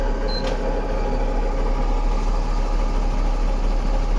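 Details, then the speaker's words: Mahindra Blazo BS6 M-Dura tipper diesel after fixing the P0344 camshaft code and long-crank hard start, code cleared: starts immediately, then a steady, even low idle rumble with no misses or knocks. "वाहन तुरंत start हो जाता है। अब सब ठीक है।"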